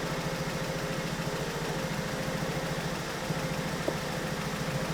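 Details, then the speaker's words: 2008 BMW 1 Series N43 petrol, 125 kW, constantly misfiring and jerky; tester shows misfires on 4 cylinders, plus thermostat and catalytic converter codes; idle lumpy and uneven with stumbles about three times a second. "The diagnostic tester has them in English so we have 4 cylinders misfiring digital thermostat activation digital x catalytic converter it could be that they are completely missing and we can just delete it"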